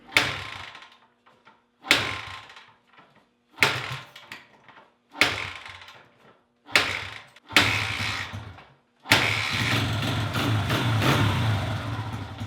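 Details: Honda XR100 carbureted single, started in warm garage before cleaning: five short bursts catch and die, then runs rough and bogs on throttle instead of picking up; owner says carburetor needs cleaning. Carburetor bog.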